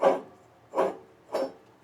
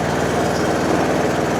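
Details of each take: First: John Deere D140 mower deck pulley flicked by hand: four short gritty rasps, each fading quickly; rough drag shows a worn pulley bearing. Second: John Deere D140 mower, 196 hours, with two failing hydrostatic drive-belt idler pulleys (V GX20286, flat GX20287) that squealed when the clutch/brake pedal was released: smooth even engine putter with drive engaged, no squeal or chirp, nice and quiet.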